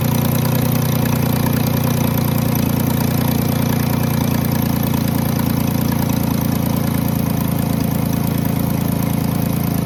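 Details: 2010 Jeep Grand Cherokee 3.7 at idle: loud idle with rapid, uneven ticking about three to four per second over heavy drone, seeming from the intake, mainly driver's side; owner rules out valves and PCV valve, smoke tests of intake and exhaust found no leaks.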